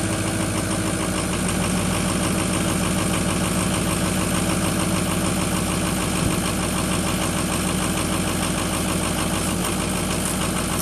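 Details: Ford 6.0 diesel, first start after FICM repair (wouldn't run with bad FICM), new batteries, unstarted almost four weeks, smoking at first: idle with uneven lumpy beat about three pulses a second over steady clatter; rough idle.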